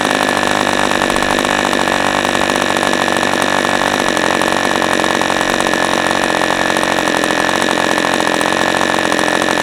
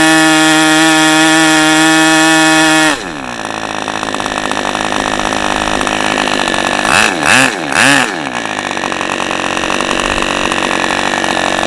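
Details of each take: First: New-in-box OS 40 FP glow engine on first run, stand-mounted, 11x5 Zinger prop, OS #8 plug, 5% castor/synthetic fuel, after air bleed opened to lean rich low end: steady high-pitched buzz, even with no misses or sag; normal healthy running. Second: OS 40 FP glow engine, first run on a stand, 11x5 prop, OS #8 plug, 5% castor/synthetic fuel, after the idle screw was adjusted and the air bleed opened to lean it; drops from high scream to slow uneven burbling idle with two blips; still slightly rich.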